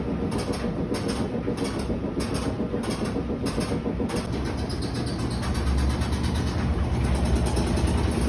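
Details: Whirlpool top-load washer, model WTW5600VQ0, on the spin cycle: a deep uneven rumble with rapid thumping as the machine shifts and walks.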